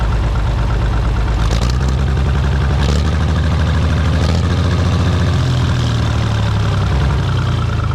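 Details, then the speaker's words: International Harvester TD15 151 dozer, cold, carburetor jet suspected jammed with debris: loud, low running with a lumpy, uneven beat and occasional dropped firings; always missed when cold and usually clears once driven. "Well, it always did mess when it was cold. Usually if you take it and drive it a little bit, it'll clear up. And it was almost to clear up. Every now and then you hear it hit."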